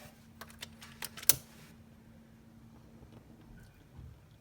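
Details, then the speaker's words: RealFyre natural gas fireplace unused about 6 years, before repair, pilot knob held in: sharp dry clicks of the igniter with no flame whoosh; pilot won't light because the pilot light tube is clogged, later cleared with an air compressor. "not coming on. It's trying to."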